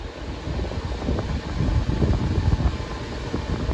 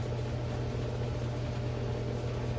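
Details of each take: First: Older Patton fan that had stopped working, revived and cycled through low, medium and high with a screwdriver in place of the switch: a steady whoosh of air with an even low hum on high, no ticking or grinding. Normal running. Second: Older Patton fan that had stopped working, at first plug-in after dust vacuuming and shaft cleaning, before lubrication: on high it hums steadily but turns barely at all, with faint air rush. Sluggish motor; owner suspects a lubrication issue or a shot motor.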